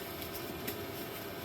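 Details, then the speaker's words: Vevor 8kW Chinese diesel heater, two years old, refired after ice-clogged exhaust pipe removed, at level 10; even combustion roar and steady mid-pitched fan hum, no pops, burning clear with no soot, normal running. "I put it up to level 10. And we're burning clear with no soot. So, that exhaust pipe was definitely clogged."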